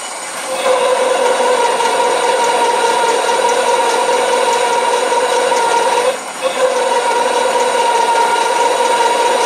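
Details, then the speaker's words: Drill press fitted with a home-built pull gear planetary speed reducer (about 4:1) in low-speed mode: steady motor hum with a scraping cut and a brief dip, then it picks back up. The bit cuts cleanly, removing decent chips, with good torque. "okay so I'm happy with that on skins removing decent chips"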